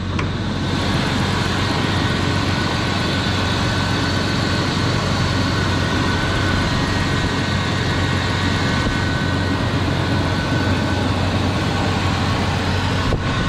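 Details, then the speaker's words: 2004 BMW 325xi with freshly replaced engine (old one had blown head gasket), started cold after sitting all day: starts right up, even steady smooth idle with no misses, ticks or hunting, no warning lights; normal idle. "starts right up runs great no warning lights"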